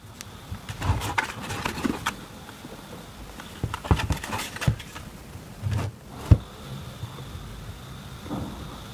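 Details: Blackmagic DaVinci Resolve Speed Editor jog wheel rocked by hand: irregular light clacks and dull knocks from loose, worn bearings moving in a worn plastic encoder housing, before bearing replacement.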